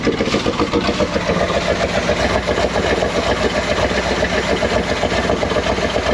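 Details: 1979 Chevy C20 with a 454 big block, sitting about 13 years, first runs after a battery charge: loud, lumpy idle with a recurring stumble, one cylinder not firing. New spark plugs suspected to be needed, not confirmed.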